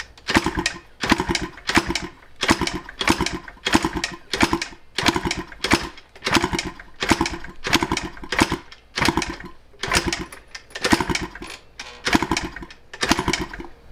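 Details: 1986 Yamaha IT200 two-stroke dirt bike kicked with the exhaust confirmed clear: kick bursts about every 1.5 s, each giving a brief ragged cough that dies. It fires but won't run, and the owner is considering the reed valve as the problem.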